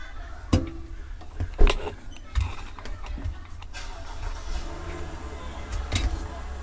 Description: Kenmore Elite front load washer model# 110.44826300, when the drum spins I hear a clicking noise (like a plastic piece is being hit). It appears to have 2 clicks per revolution. The faster the spin speed, the faster the clicking noise.